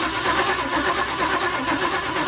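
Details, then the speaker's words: 1962 Chevy short-bed pickup, parked 20 years, cranking on the starter with spark present. It rolls over at a steady, fairly even rhythm, only slightly off between strokes; compression is even. "little bit you know so it's compression's pretty even maybe just a little bit off but all in all pretty good"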